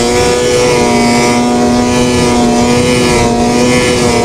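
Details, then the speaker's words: Two-stroke snowmobile after power valve cleaning fixed high-rpm bogging: strong clean rising scream at full throttle, pulling smoothly with no bog or stumble; night-and-day improvement, running healthy. "Honestly, a night and day difference. I'm sure you guys can even tell from the past videos to now how much better this thing is running."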